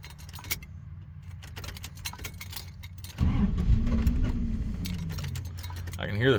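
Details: 1990 Dodge Ramcharger: keys rattle, then the starter cranks steadily for several seconds without firing. Long crank, no start; owner wonders if it is out of gas. Cause suspected, not confirmed.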